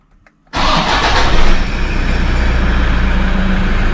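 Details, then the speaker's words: Toyota Hilux 1KD 3.0 L turbo diesel, first start after a timing belt replacement: it catches after a brief crank and settles into a steady, even clatter with no knocking, a healthy idle. "that sounds like it's running if it doesn't run perfectly you'll know about it it'll be making knocking noises and all sorts of stuff"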